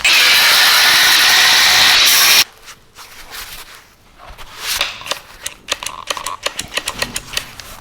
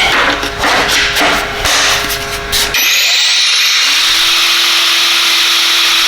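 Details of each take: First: Knockoff "Makita" 18V brushless cordless angle grinder cutting on a flat battery: the loud high cutting whine dies abruptly after about two seconds, leaving rattles; the owner suspects built-in under-voltage protection. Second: Knockoff "Makita" 18V brushless cordless grinder on a brand-new battery, cutting under load: it rasps steadily without bogging, then whines smoothly back to full speed; it is happy as long as speed stays up.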